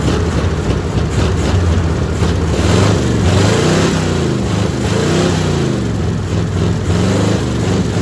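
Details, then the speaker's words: Old carbureted 350 V8 with open headers, dry fuel filter, gas poured into the carb, old used battery: a loud, lumpy idle with an uneven beat and occasional stumbles. Rough idle; owner says it needs a tune-up and is probably missing on at least one cylinder. "To me, it sounds good. It's just an old open headers 350 that needs a tune-up and probably missing on at least one cylinder, but, but let's see what we can do here."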